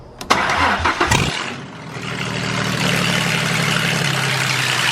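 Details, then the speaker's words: Turbo project car started by jumping the starter with a screwdriver after swapping a clicking relay, no exhaust fitted: quick crank, sharp crack, then harsh, raw, extremely loud open-header idle. "That sounded like literally a freaking pro stock car. Oh my gosh. I really hope I didn't wake anyone up. That was freaking loud."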